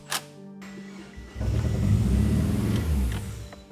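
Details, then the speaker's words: Big-turbo Eagle Talon after fixing leaking injectors on cylinders 2 and 3: engine catches then runs lumpy and uneven, stumbling like a boxer engine; flooding or a fouled plug suspected, unconfirmed. "What was that? I don't know, maybe it was flooded? The Talon sounded like a boxer engine."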